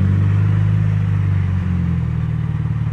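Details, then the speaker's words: MK2 VW GTI, old car that sat about eight months, idling while being moved in for driveshaft and control arm bushing work: deep low idle rising and sagging unevenly, hunting; surging idle. "the idol is doing funky stuff ah i can fix that later it's an old car"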